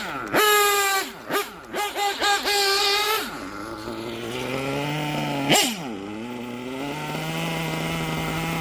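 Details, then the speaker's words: Gimar P5 nitro engine in a Hyper 7 buggy, after the top end was leaned: coming to a stop after blips, the idle won't settle and keeps rising. The low-speed bottom-end mixture is going lean. "you hear that when I uh bringing it to a stop now that Idol is rising uh so now we're starting to get a little lean on the bottom end"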